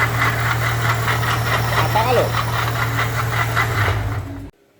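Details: Steady engine rumble with a regular metallic tick about two and a half times a second; noise from a badly damaged water pump.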